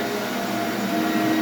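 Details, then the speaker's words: S.C. Johnson Vectron vacuum, possibly original motor: steady even whir with signature Ametek/Lamb motor sound, tone rising slightly as it spins up, no rattles or grinding. Normal vacuum motor run. "Oh, yeah. Sounds like a Phantom. It's got that um signature kind of whirring and Ametek motor sound."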